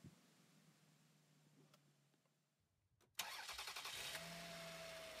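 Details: 2001 Toyota Camry after ignition coil replacement for a P0304 misfire: brief crank, quick catch and steady even idle with no stumble; normal start.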